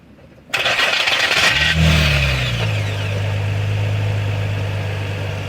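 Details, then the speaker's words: Nissan 350Z during diff bushing install: short harsh grinding rasp while cranking, apparently from the flywheel and only heard at start, then steady idle; later found the starter was damaged. "sounds like it's coming from the flywheel that grinding that's that's the only time you hear it"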